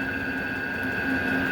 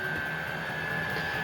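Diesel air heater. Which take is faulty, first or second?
first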